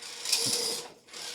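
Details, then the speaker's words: Redcat Ascent18 Scout II 1/18 RC crawler with upgraded metal transmission gears and brass wheels: harsh high-pitched gear whir in short bursts while crawling under load; the metal gear set is too loud, plan to return to plastic gears. "yeah my only problem with this build is those transmission gears being so incredibly loud I can't get over it"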